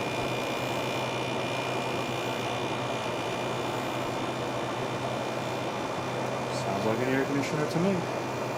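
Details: Fedders air conditioner after oiling dried-up motor bearings and cleaning, tested with cover back on; steady even hum with soft fan rush, no rattle, scrape or squeal; normal running.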